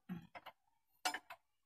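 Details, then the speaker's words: Isuzu 4HG1 engine that knocked, crankshaft hard to turn, turned slowly by hand with the fan removed to reach number 1 top dead center: a few separate irregular dull clunks, pointing to connecting rod bearing damage. "Ayan mga kabayan, kung maririnig nyo, lumalagutok siya pag iniikot ko."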